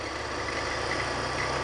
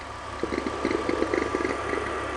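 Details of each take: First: BMW E46, belt squeak diagnosis, listening at the alternator pulley; steady even whir with no squeal or chirp; alternator pulley is fine, not the noise source. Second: BMW E46 at idle, engine bay. Irregular chirps and squeaks as the belt jumps in and out. Pinpointed with an amplifier trick: not the alternator but the belt tensioner pulley's adjuster mechanism.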